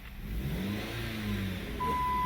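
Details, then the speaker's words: Dodge Caliber with a power-steering whine complaint, revved with the accessory belt off (no alternator or power steering): a clean low rumble with no whine, so the whine comes from a belt-driven accessory; a beep sounds near the end. "you go guys no power no noise no whining noise so it has to be the noise has to be coming from one of the accessories"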